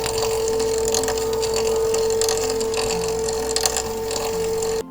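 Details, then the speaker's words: Bambu Lab P1S 3D printer with its build plate moving up and down on the Z-axis, heard randomly or during initial setup: a steady high-pitched tone with faint clicks, which is an abnormal Z-axis noise of unstated cause. "However, if you are hearing something like this randomly or during the initial setup, when the build plate is moving up and down from Z-axis,"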